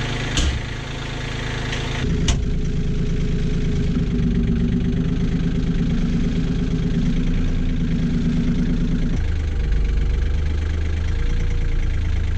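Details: Kioti CK20HS diesel tractor after glow plug warm-up and cracking injectors to bleed air: a brief crank, then it catches into a steady, even idle with no misses or knocks. Overnight prime-loss test pending; fuel pump performance doubted.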